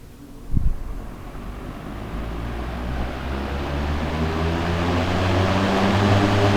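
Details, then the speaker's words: Mid-1970s Manning Bowman 3-speed box fan with new cord: knock at switch-on, then smooth hum and blade whoosh building steadily to high speed, pretty high RPM; fan sounds healthy. "Pretty high RPM."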